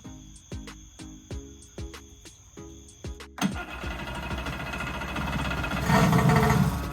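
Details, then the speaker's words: Kawasaki JS440 two-stroke jetski after replacing crank seals and a bearing; sharp cranking pops, then it catches into a crisp, strong, even rasp, starting right up and running healthy. "So guys, there you have it. Tank's in, everything's on, and this thing runs pretty good. Starts right up."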